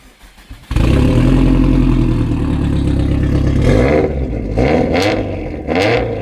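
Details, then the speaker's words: Subaru Forester STI after turbo rebuild, freshly loaded map before tuning, exhaust closed: cranks and catches cleanly, steady idle, then a few quick blips that rise and fall smoothly; starts and runs fine. "just going to burp it before I go home cuz why not it's not raining here and uh yeah just running fine"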